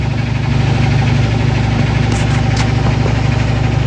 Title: Washer Making Loud Noise - What can I do to Fix It?